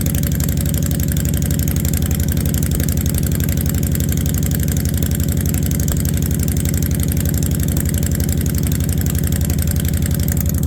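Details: 2016 Honda Fury 1300 cold start with stabilized fuel, running about a minute or two: fast, even thumping idle that holds steady and never settles lower as it warms; high idle that won't idle down since late last season.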